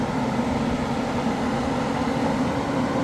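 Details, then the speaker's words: Electric radiator fan upgrade on a turbo RX-7, PWM-controlled through a 10k ohm resistor and bench-tested: steady, even whooshing roar at full speed with no rubbing, ticking or wobble; normal operation. "to full speed and if I invert it it goes back down and I have fine control over the RPM"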